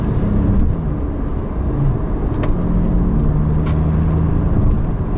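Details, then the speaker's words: New Porsche 911 Carrera 4S cruising: deep, smooth six-cylinder petrol exhaust rumble, quieter than previous generation but good texture; normal exhaust note, nothing out of place. "깔리는 거 이런 것들이 진짜 엄청나죠 이런 사운드 정말 좋습니다"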